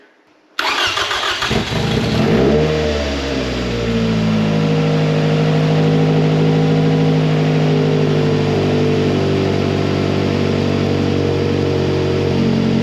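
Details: 2007 Toyota Camry 2AZ-FE engine freshly rebuilt for blown head gasket and oil consumption, first start after oil priming: short crank, catches quickly, flares up, then settles into smooth even idle, no ticking or knocking; normal start and idle.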